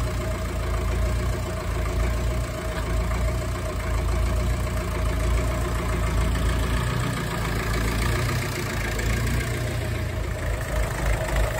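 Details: Ferguson TEF20 vintage diesel tractor, restarted after a year (previously sat over 10 years), running again after bleeding air from the fuel system: steady low diesel clatter at idle, even and unbroken, no stumbling or misses; normal idle.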